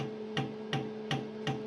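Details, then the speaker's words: Stairville AFH-600 DMX hazer, DMX channel 1 driving the pump: steady buzzing hum with sharp clicks about three times a second as the pump runs not yet primed. "alors la pompe fait du bruit parce qu'elle est pas encore amorcée"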